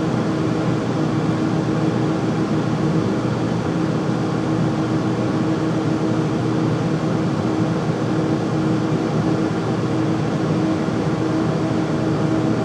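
>A loud steady roar with a constant low hum runs through the whole clip without changing; this furnace is noisy while running, cause unclear.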